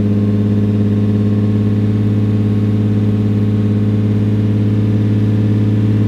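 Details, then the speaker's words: 2002 Lexus IS300 six-cylinder on a cold start after new spark plugs replaced worn ones: steady, even idle sitting slightly high, smooth exhaust pulse with no misfire or stumble; plugs believed to have been the cause. "even right now like you guys can hear the exhaust mode it sounds a lot better and it's a lot smoother so I really do think that the spark plugs were our issue in this case"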